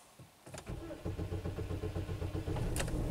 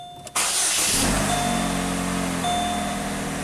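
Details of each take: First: 2007 Pontiac with long crank time, tachometer and scan-tool RPM stuck at zero, P0335 crankshaft position sensor circuit code despite a replaced crankshaft position sensor; steady starter churning on and on before it fires. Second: 2007 Pontiac G6 with P0335 crankshaft position sensor code, after a temporary jumper on the sensor wiring restored the rpm signal; the starter catches at once and settles into smooth, even idle with a repeating dash chime; normal start.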